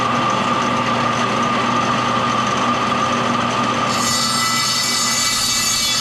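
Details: Old Craftsman table saw from barn running with coarse rattly drone and gritty uneven hum; belt vibrating heavily, owner suspects worn bearing, possibly in motor, not confirmed.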